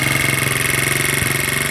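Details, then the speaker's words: 1970 Honda Z50 being restored, first start attempt: small single thumps unevenly with a ragged, wavering beat and sputters, running rough; spark plug found very sooty afterward. "It's gonna run like that shitty. Damn it."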